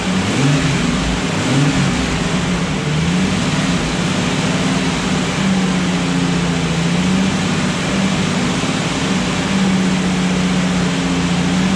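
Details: Restored Jurassic Jeep #73 engine during 20–30 minute break-in on first run after reassembly, distributor turned 180° to fix starting, stuck gauge fixed; smooth drone as revs eased up and down repeatedly, no knocks or misses: normal.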